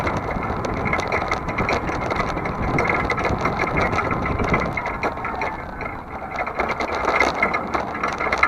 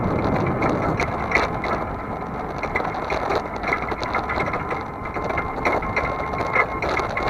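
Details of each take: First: Vehicle towing a trailer, frame repaired with a T-rail, on a cool October day: steady driving rumble with light rattles over bumps and no creak from the previously creaky hinge; owner guesses cooler temperatures let the joint slip better. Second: Camera on back of vehicle while towing a trailer on a chilly day: irregular metallic chattering and clicking over road noise, loose metal-on-metal rattle at the trailer hitch; usual creaky hinge noise absent.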